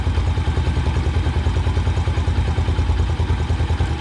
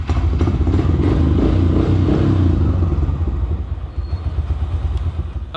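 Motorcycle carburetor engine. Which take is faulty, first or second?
first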